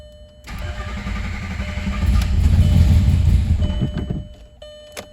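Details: Rebuilt VW VR6, first start in the car with no coolant; oil pressure reached 30, then held 18 cranking. It catches and runs a few seconds with a lumpy chug; a missed vacuum line is suspected.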